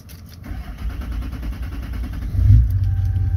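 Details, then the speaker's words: 2003 Chevrolet LB7 Duramax diesel, not fully warm, one small battery, possibly previously programmed: rough rumble falters and stalls at full or partial throttle, then restarts straight away; power/fuel issue, cause unknown. "so that's to the floor now it's stalled out sometimes it stalls sometimes it doesn't let's fire it up again then it fires right back up again"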